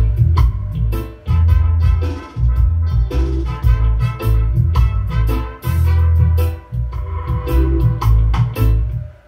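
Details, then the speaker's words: Class D power amplifier after a poor Molex socket crimp connection causing crackling, distorted bass was fixed: clean music with solid bass and no crackling or popping, quiet at shutoff; normal output. "Oke, sudah aman. Matinya pun juga tidak ada terdengar suara aneh seperti itu."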